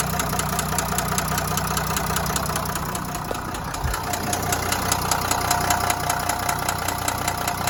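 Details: Renault V9X 3.0 dCi diesel at idle: a regular, deep knock of about 2.5 per second rides over the diesel clatter, identified as a connecting rod knock.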